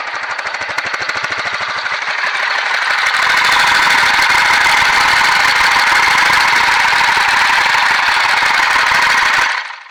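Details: BMW F 650 single, warm, sold as having rod knock, idling outside: steady fairly even clatter around three per second over exhaust; knock heard plus timing chain noise, owner suspects nicked crankshaft, cause unclear.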